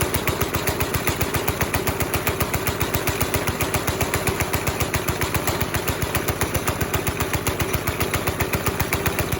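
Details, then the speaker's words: 5.5 hp Briggs & Stratton single-cylinder NASCAR go-kart, steady idle thump that never picks up with pedal floored; throttle cable came loose, hanger out, absolutely no tension in the cable, so engine stuck at idle before refitting. "We have actually absolutely no tension in the throttle cable at all. So I'm gonna grab a couple tools and see if we can hook that sucker back up, see if that solves our issue."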